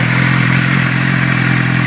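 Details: 2006 Suzuki GSX-R600 four-cylinder idling with a light, fast metallic top-end ticking over the hum; source not pinned down.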